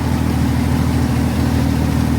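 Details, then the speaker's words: 1964 Chevrolet Corvair barn find, long stored, running on its own with fuel to the carburetors: steady, even low idle with smooth unbroken beat, no knocks or misses; voltmeter confirms charging; healthy normal idle. "The car is running on its own. The ignition light went off, so the generator might be working."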